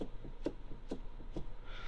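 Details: Kia Ceed, cabin: dull knocks about twice a second as the wheel is rocked, loud with the column raised and nearly gone at its lowest setting. A recurring steering column knock, previously fixed at first service, possibly by tightening the steering shaft. Cause unconfirmed.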